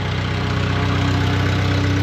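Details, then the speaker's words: Bobcat skid loader at idle after fresh ignition tune-up: steady low idle with a constant mid-pitched whine from the left hydrostatic drive; owner suspects slop in the linkage prevents setting it to neutral. "You can still hear that left side drive kind of whining. I'm still fighting that. I just I think there's slop in the linkage and it makes it so you really just can't set it to neutral."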